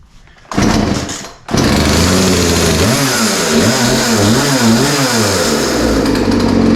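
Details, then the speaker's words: Poulan 3314 chainsaw, started with the part-throttle choke setting and primer after carb cleaner; catches quickly, then a crisp high buzz with clean throttle blips, revving freely without bogging; running well. "again yeah yeah yeah yeah so yeah that sounds pretty good I mean I didn't really expect any different after all it was running before we started working on it so it's not surprising that it sounds okay"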